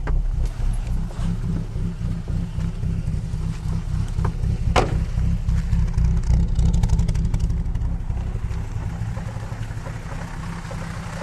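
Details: Ford XR4/ST150 at idle: a steady knock of about four beats a second over the low rumble. It happens only when idling, began recently and seems to come from the front left. The finding is knocking at idle.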